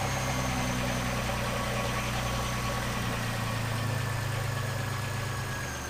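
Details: 1996–2002 Camaro/Firebird 3800 Series 2 V6 after AC delete and belt rerouting: smooth, even idle with no belt whine, much quieter than before; accessory drive healthy.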